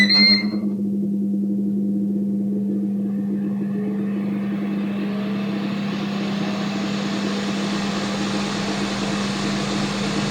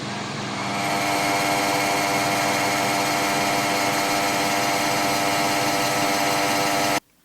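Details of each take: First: Ninja Foodi OP500UK after fixing the loose heating-element retaining bracket and refitting the Torx and Phillips screws: a short beep, then a steady fan rush and low even hum, with the earlier rattle gone. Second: Ninja Foodi OP500UK (OP500UKDB): harsh, steady buzzing rattle over the fan hum, traced to a loose retaining bracket holding the heating element; fix attempted by tightening the bracket with a G-clamp.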